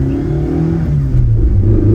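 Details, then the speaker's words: Toyota AE86 with Blue Moon built 16-valve engine, new Haltech Elite ECU and 128 wheel hp, at full throttle: engine note climbs quickly and cleanly toward the ~7,500 rpm redline with no stumble. Normal acceleration. "And since the revs climb so quickly, you realize that even though the red line's at around 7,500, you quickly run into that and you have to shift, which is it's a pleasant feeling."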